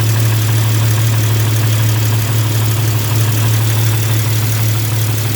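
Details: Jeep at idle: sharp, fast ticking over the low engine drone, in step with the firing; exhaust manifold leak from a cracked manifold, later welded up.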